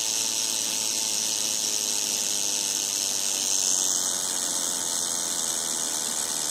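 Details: Second-hand Studio Projects VTB1 V series preamp after about 15–30 minutes of use: steady high-pitched hissy buzz with no signal present, noise that becomes continuous over time; cause unknown.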